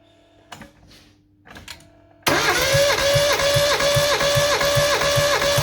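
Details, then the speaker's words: Mazda 323F 1.5 after head gasket failure, with a second-hand head (valves lapped), new head gasket and bolts; compression test on cylinder 3 with plugs out. Starter whine dips evenly about 2.5 times a second, reading just past 150, better than the day before: strong compression. "that's better than yesterday. So that's now. Right, it's just going past 150."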